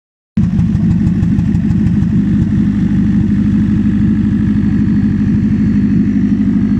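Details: Toyota Prius engine: loud, coarse, somewhat uneven drone that starts abruptly and holds steady with no rev change; louder than it should be, cause suspected, not confirmed.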